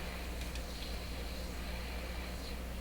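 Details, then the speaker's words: Hammarlund SP-600 receiver, tuned to 2 MHz with signal generator, after cleaning contacts with alcohol-dipped paper to fix noisy tuning: only steady low hum and soft hiss, no raspy crackle; tuning now quiet. "So we're tuned to 2. Okay, we'll tune the signal generator here to 2 megahertz. Okay. Nice quiet tuning."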